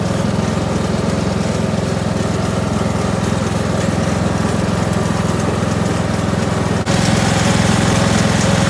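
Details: Kohler Courage 19 hp engine on an Ariens garden tractor after muffler repair (loose internal baffle fixed): steady, even drone at constant speed, clean exhaust note, no rattle or buzz; sounds healthy.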